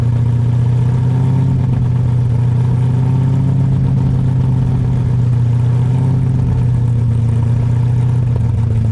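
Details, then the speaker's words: New Ford 351 Cleveland V8 in an XD ute during cam break-in, revs kept wavering to bed the rings: a steady raised drone with no ticking or knocking. Sounds healthy and smooth. "You don't want to hold it too steady in one spot. Keep it wavering a bit. This is beautiful, man. This sounds mint."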